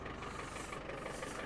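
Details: Land Rover Defender 110 diesel at idle: steady, even clatter with a regular beat and no missing or knock, healthy engine; an exhaust rattle from the pipe resting on the mud flap is mentioned, and it smokes slightly under load.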